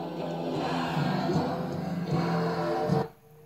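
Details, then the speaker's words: 1979 Realistic 31-1987 equalizer, left channel only, one slider: once warmed up, audio cuts out above +4 dB and turns scratchy as if dirty when lowered; freeze spray did not fix it. "Just cuts out. There, it's there again. And when you get it down, then it's kind of scratchy, like it's dirty, which is common with those kind of slider switches."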